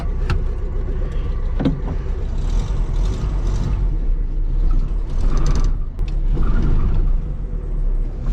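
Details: VW Bug with air-cooled flat-four, started hot after one throttle pump: catches at once and settles into a steady, even putter with a few handling clicks around it; runs healthy.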